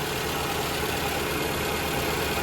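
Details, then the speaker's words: 2011 Toyota RAV4 cooling fans running with AC on after repair of a vibration that occurred when the fan came on; coolant topped off. Even fan rush over a quiet idle, no rubbing, rattling or whine, "quiet as a mouse"; normal cooling fan operation. "And quiet as a mouse."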